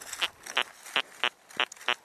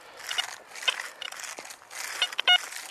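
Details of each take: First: XP ORX metal detector, searching a field: six short, even, low-pitched grunting tones about three per second, its normal response to a solid iron target. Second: XP ORX metal detector, high-frequency coil at 14 kHz on the Coin Deep program: choppy, spiky tone chatter over ground noise; program too aggressive for this terrain, Coin Fast suggested instead.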